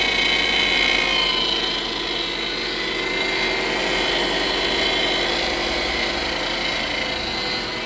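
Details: 2007 Subaru Impreza at idle: steady high-pitched hum holding through the revs, power steering pump whining.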